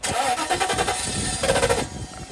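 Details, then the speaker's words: 1997 Mercedes S420 (W140) after sitting for years, fuel system full of debris and due for a flush: quick crank, fires almost at once and settles, not perfect; starts after long storage. "All right. All right, there we go. Oh yeah. That's good. Not great, but goals accomplished."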